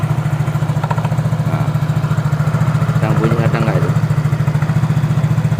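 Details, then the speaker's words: Yamaha Mio J scooter, owner complains engine and CVT noisy; steady idle thump with irregular intermittent high squeaks from CVT. "Ah, ada suara berderit yang tidak beraturan."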